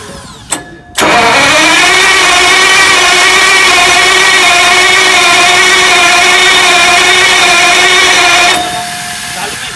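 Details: Heavy generator engine: a click, then a long steady high whirr of the starter spinning about seven seconds without the engine catching or firing; cranks but no start.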